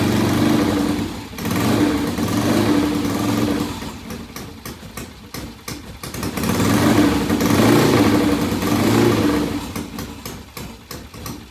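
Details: 1967 Triumph motorcycle with ignition timing problems; engine catches and surges up and down in slow irregular swells without holding an idle, runs rough and still needs ignition strobe timing, pilot jet and idle carb setup.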